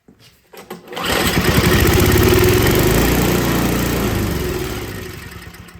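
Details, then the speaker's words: Older MTD Yard Machines snow blower with a Tecumseh 5 hp engine that won't start: spark confirmed, starting fluid sprayed in, engine catches and pops unevenly then dies; runs only on starting fluid, carburetor problem suspected. "I'm going to spray a little bit of starting fluid in there and then we'll see if it fires that way"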